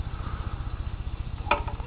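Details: Warmed-up engine at idle, throttle closed: fast, even thump of about twelve beats a second with a light tapping knock on top. Owner rules out cylinder knock (no piston rod play) and suspects camshaft side play with angled gears clunking; not confirmed.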